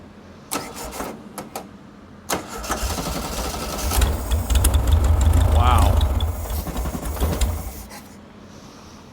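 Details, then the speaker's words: Circa 1967–68 Volkswagen Empi IMP dune buggy, air-cooled, barn find of unknown past, first start fed from the carb bowl: cranks, catches and settles into a steady low chug for a few seconds; runs and sounds good. "Wow, that thing runs good. Sounds good."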